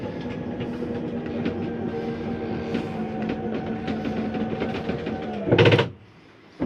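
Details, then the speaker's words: Rockwood Premier 2601 slide-out retracting: steady motor drone, then a short loud grinding burst at its stop, just the slide keeping itself from coming in further, nothing breaking. Normal end-of-travel noise. "It's okay to hear that little noise. That's just the slide keeping itself from coming in any further. It's nothing grinding or breaking."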